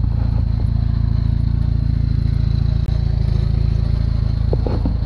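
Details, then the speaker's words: $499 Jeep, idling: deep, even rumble about four beats a second, no knocks or misses; sounds good. "it's full of water this thing sounds good"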